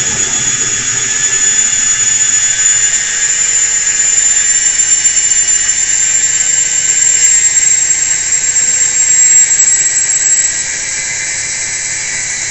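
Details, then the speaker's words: IFB front-load washing machine after repair of a no-drain fault, running in spin mode at maximum speed: steady, high, even whirr with no scraping or knocking. Normal spin, no complaints. "Spin മോഡിൽ വന്നപ്പോൾ speed ആയിട്ട് work ചെയ്യുന്നുണ്ട് കേട്ടോ അപ്പൊ complaints ഒന്നും കാണുന്നില്ല"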